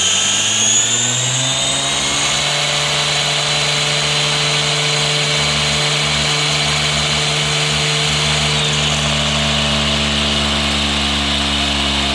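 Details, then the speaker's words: 11-year-old Anderson M5 RC motocross bike, first run after 10 years unused: smooth high whine settling to a steady pitch with an even low hum underneath; gyro and motor spin up cleanly, running normally. "So you can hear the gyro running there now. That's what makes the bike stable."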